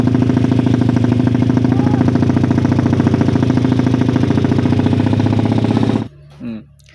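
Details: Motorcycle with PWK carburettor deliberately tuned to misfire: loud choppy idle with uneven chopping beat like a helicopter, noisy even at low speed; not suited for daily use.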